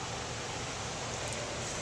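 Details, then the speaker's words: 5-ton HVAC system with 14x25 stamped return air filter grille, 18-inch panned-off return and undersized ductwork: constant heavy rushing air roar at the intake, loud and unrelenting — undersized return causing roar. "Oh, and that return air is a 14 by 25 stamped return air filter grill on a 5-ton. Sounds like a 747 taking off."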